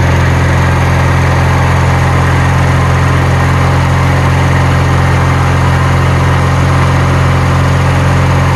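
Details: Kohler Magnum 20 engine on a Wizard garden tractor after repairs, primed and choked, throttle being lowered: a deep, steady low thrum with a constant even beat and no misses or hunting, a smooth, healthy normal idle.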